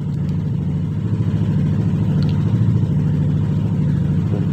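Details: Yamaha NMAX 155 (2021) scooter idling with an even low putter and steady beat, no knocks or rattles, after a blown 7.5 A signal fuse, the cause of the no-start, was replaced; now running normally.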